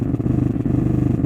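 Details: Zebronics home theatre with a modified SMPS supply after a burnt IC and fuse: a deep, fast putt-putt pulsing of about twenty beats a second over a steady bass hum, the amplifier motorboating.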